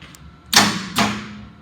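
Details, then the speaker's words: John Deere diesel on a used portable fire pump, newer-looking starter, hour meter showing 37 hours: two hard starter clunks with no cranking rotation; engine appears stuck, cause unconfirmed. "the starter kicks hard and it's really trying to turn that motor over but it seems like the motor is stuck"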